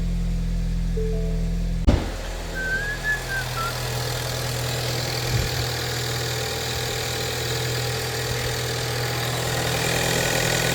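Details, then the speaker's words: 2019 Ford Escape at about 100,000 miles after repairing a loose spark plug on cylinder 3 that caused a misfire, codes cleared: sharp start then smooth, even idle with steady low hum, no stumble or miss. "Alright, let's fire this hog up, see how she sounds. Purrs like a kitten."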